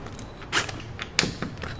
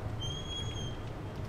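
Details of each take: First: Interior door that stuck and squeaked, after tightening loose hinge screws: door swings with soft latch clicks and only a faint brief creak, no sticking or loud squeal; hinge working normally now. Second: Office door opening; thin high squeal held most of a second as it swings, squeaking hinge; door also sticks because hinge screws loosened over time with seasons, temperature and humidity.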